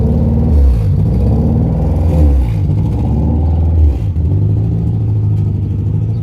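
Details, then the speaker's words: Honda Prelude H22 before intake manifold gasket replacement: idle rises and falls in a slow, uneven hunt every second or two, constant now though at first only at startup; idle surge from a vacuum leak. "as you can see the idol does not stop bouncing this it is really annoying originally when I first got the motor it actually only did that I start up"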